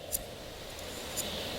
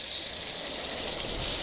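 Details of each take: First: New idler pulley from a 2000 Dodge Dakota, spun by hand before install, not yet broken in: faint even whir, no bearing roughness or grinding, unlike the old pulley's noise. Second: 2000 Dodge Dakota, old idler pulley spun by hand off the engine: a dry, gritty rasp with faint rough pulsing, unlike the smooth new one, pointing to a worn idler pulley bearing.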